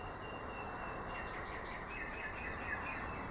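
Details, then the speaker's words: Air compressor tank about 40 to 50 years old: steady faint high hiss over quiet shop background as its safety valve slowly bleeds air, releasing faster once at pressure; normal. "that hissing that you can hear by the way there's a safety valve in there that slowly releases"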